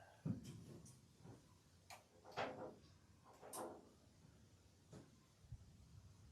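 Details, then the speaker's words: Automatic standby generator on auto test with main breaker on: scattered sharp relay clicks about every two seconds, no cranking or firing; won't start, starter motor solenoid suspected. "I can hear the relay clicking in there okay what happened main breaker's on that's an auto okay so it's doing this thing again where it won't start"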